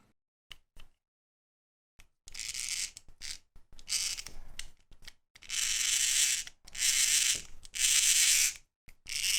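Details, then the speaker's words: Kamen Rider Gaim DX Genesis Driver toy, hand crank turned with the housing removed: bursts of harsh, high-pitched grinding whir from the small plastic gearbox, which is then removed. "gently lift the housing off and remove the sucker check out how loud this thing is"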